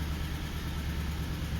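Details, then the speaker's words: Suzuki Grand Vitara, rough running with no fault codes and short-term fuel trim 14-17%: low, uneven, lumpy idle; compression test shows 150 on cylinders one and three but zero on cylinder two, causing the misfire. "Okay. We have no compression pressure on cylinder two."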